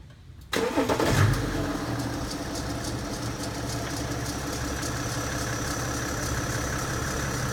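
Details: BMW F10 525d diesel cranks and catches, then settles into a rough idle with an odd, unidentified noise on start-up.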